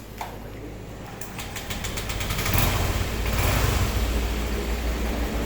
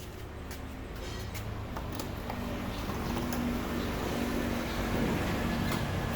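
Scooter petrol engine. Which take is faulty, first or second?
second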